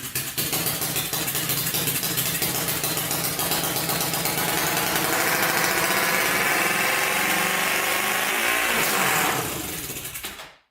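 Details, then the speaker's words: 1999 Honda 400EX with newly fitted turbocharger and carburetor, first start: single cylinder thumping unevenly at idle, pulses stumbling; rough running, likely not getting enough fuel, carburetor needs pressurizing. "all right so you can see it probably needs some modification at the carburetor"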